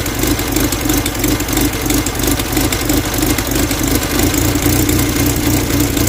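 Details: 1969 Mustang body on a 2.3L engine with new hybrid HEI ignition and NOS distributor, just after startup: steady, even idle at about three firing pulses a second, no knocks or misses; healthy engine.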